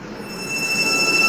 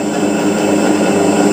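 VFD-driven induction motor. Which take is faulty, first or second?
first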